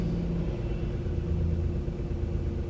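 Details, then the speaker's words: Crash-damaged 2018 Corsa E, 10K miles, first start after fitting a new wiring loom and clearing fault codes, airbag and engine management lights on: low, even rumble at steady idle, no knocks, misfires or ticking; starts and idles normally. "Okay, so that was relatively successful. It's running, which is a good thing."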